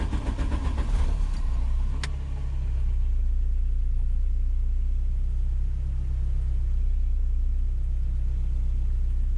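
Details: VW Golf 2 GTI 16-valve turbo on original pistons, after refitting the oil sump and tuning: catches after a short crank and settles into a deep, even idle with no knocks or misses; normal idle.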